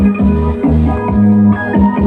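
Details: Sakura 735UB amplifier, previously weak and distorted sound, after replacing rusted transistors with abnormal bias: music plays clean and full at a steady level with no crackle, hum or distortion; normal output after repair.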